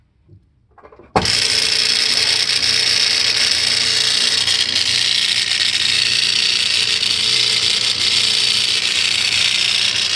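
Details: Harsh, high-pitched steady grinding whir, recorded at the bottom of a Whirlpool washing machine that makes this noise instead of spinning; the coupler and belt look good, and the cause is unknown.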